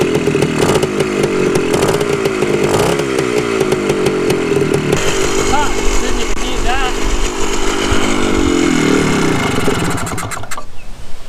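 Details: 1974 Honda MT250 Elsinore two-stroke on its first start after a full restoration, choke on: a crisp, buzzy beat that picks up cleanly with each throttle blip and settles again. Normal running.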